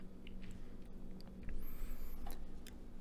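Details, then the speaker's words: Mid-1980s NAD amplifier, reported with all power transistors bad: right after switch-on, a few sharp scattered clicks over a quiet hiss with no music; the display works, cause unknown. "so it turns on at least the display does you can hear some clicking and stuff going on in there"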